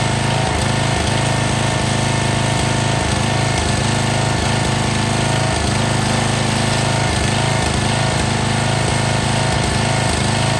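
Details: Long-stored MTD Yard Bug riding mower, restarted without choke since it had run recently, before a drive test: loud, even, hard-chugging single-cylinder beat holding steady with no misses or surging; running fine.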